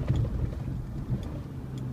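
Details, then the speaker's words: Honda Ridgeline driving over bumps after wet silicone was applied at the dash speaker: low, even road rumble with no dash buzz or rattle; the rattle, thought to be from the speaker cover grille, is now gone. "yeah it's gone rattle gone it was the speaker cover Grill"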